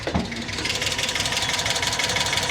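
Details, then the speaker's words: Cheap auction Hyundai Accent, idling after a drive: light, quick, even ticking over steady idle, keeping pace with engine speed; likely valvetrain/tappet noise, cause unconfirmed. "I was just bragging on how good of a car you were and you're sitting here ticking like you got something going wrong here."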